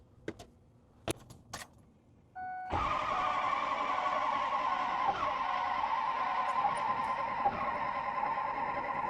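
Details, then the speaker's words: Ford 6.0 Powerstroke diesel building high-pressure oil: a few clicks, then steady cranking with ether via starter cable that never catches; cranks but won't start. "Huh. That was quite a bit of ether and she still didn't want to run."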